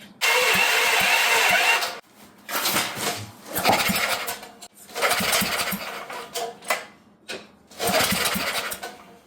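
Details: Previously seized auction generator, pushrods refitted, battery almost dead, fed fuel from a bottle: several short starter bursts with a few pops, each dying after a second or two. Fires but won't keep running; cause not confirmed.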